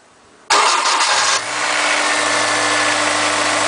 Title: My s2000 got grinding noise when startup.